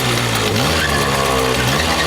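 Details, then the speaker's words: Moped/scooter two-stroke warmed about 30 seconds on choke, choke then turned off: revs crisply, pitch climbing and falling smoothly without stutter; strong, steady, responsive, ready to ride. "you'll know it's ready if the engine stays on without struggling or stuttering it should sound something like this strong steady even and when you rev the engine it should sound like like"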